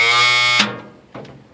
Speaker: Okay, so that sound is basically a safety measure for the air pressure in this thing. If your air pressure drops below, I think, 60 psi, then that buzzer will go off.